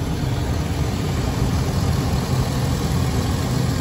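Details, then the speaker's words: Stock 2003 GMC Sierra Denali Quadrasteer, 6.0 L Vortec V8, about 20 years old: deep, even idle with a steady low rumble, no ticking, knocking or pinging; healthy engine. "and uh hopefully you can hear the engine there's nothing abnormal no knocking no pinging everything sounds the way it should"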